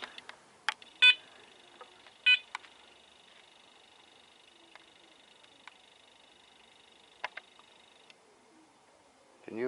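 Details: Apex metal detector with an aftermarket 11x12 coil, after a return for stock-coil chatter: near-silent background with a few short beeps and a faint steady tone. No constant chatter; it runs quiet and stable.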